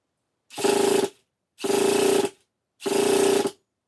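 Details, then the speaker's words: Traxxas Revo 3.3 nitro RC truck being rebuilt after crash damage: three even half-second bursts of whirring with steady mid-pitched whine as the electric starter spins the engine cleanly; normal cranking. "Okay, so that's good. Sounds good, too."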